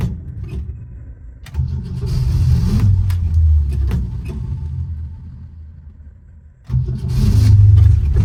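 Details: Old Ford Falcon hard to start, needing a lot of pedal pumping; engine cranks and catches, runs rough and sags, then a second attempt picks up with a surge, followed by hard revving to clear it out.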